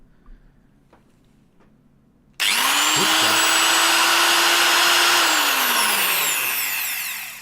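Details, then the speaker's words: Roughly 40-year-old Fein MSFV 649 angle grinder after disassembly and regreasing: sharp spin-up to a high, steady, even whine with enough torque to twist the hands, then a smooth falling coast-down; motor runs normally. "Was it different? I was barely holding it until like the the torque just rotated my hands."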